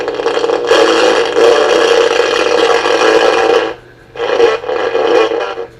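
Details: Emerson AE-163 tube radio after recapping and replacing out-of-tolerance resistors: harsh, raspy, buzzing audio that breaks up on loud passages; the 25L6 output tube is faulty despite testing good, and a second issue was also found.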